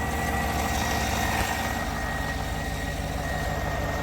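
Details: 2014 GMC Sierra/Silverado pickup, after an earlier no-start with starter clicking: steady, even idle with a smooth low rumble and no misses, knocks or clicks; engine runs normally.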